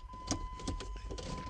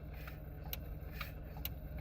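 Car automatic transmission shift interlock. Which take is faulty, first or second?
second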